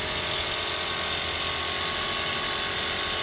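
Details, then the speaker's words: Under-hood walk-around of an auction car: fast, rough ratcheting chatter, about three clicks a second, over a steady hiss; air pump, possibly for air suspension, seems to be struggling while engine sounds good; cause unclear. "I think that's a an air pump that's trying to pump maybe this is an air suspension but the engine sounds good I think the air pump has some issues right back there"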